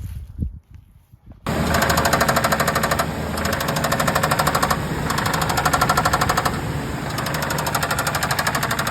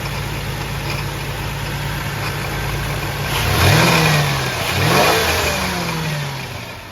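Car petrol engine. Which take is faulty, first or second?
first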